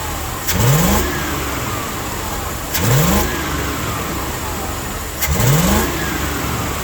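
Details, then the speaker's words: Old Dodge W300 Club Cab, previously missing on several cylinders and smoking, after regapping spark plugs: three revving blips with uneven idle between; still missing, owner suspects fouled plugs, plans road run or replacement. "Well, it still sounds like it's got a miss, so I'm gonna take it down the road and try to blow it out."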